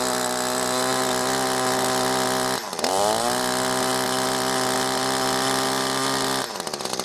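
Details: New Echo ProXtreme SRM-2620T two-stroke line trimmer on first start: buzzy drone that sags, stumbles and recovers. Owner suspects the engine was flooded on the first start and fuel still working through the carburetor.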